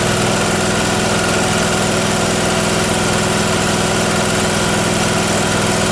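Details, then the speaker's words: Miller Trailblazer welder petrol engine after putting the vacuum-operated fuel pump on; mixture screw had no effect: even, steady idle with no stumbling, surging or misses; normal idle. "putting the fuel pump on fixed it so it was this vacuum operated fuel pump that was the issue because it runs fine now"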